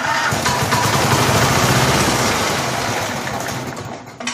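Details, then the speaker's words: 21-inch Snapper push mower after the blade was tightened: a coarse, uneven rattle over the engine, then it winds down. A bent blade is suspected, and the blade was found in horrible shape; earlier it made bad noises and quit. "I wonder if the blade is bent of course something that might be running a little weird and you hear that noise"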